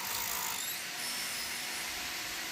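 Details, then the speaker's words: Dell Alienware M15 R3 laptop: loud hissing fan at high speed with a gritty rub as the impeller wobbles and hits something; spins smooth when held, fan likely needs replacing. "crazy. I think this fan's going to need to be replaced. It's hitting something."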